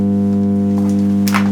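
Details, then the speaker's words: Marshall MG30 CFX guitar amp: loud steady low hum with buzzy edge immediately at power-on, unaffected by any control, no signal output; traced to failed power amp IC. "let's press the power button whoa that's a horrible hum not at all again dependent no control affects it"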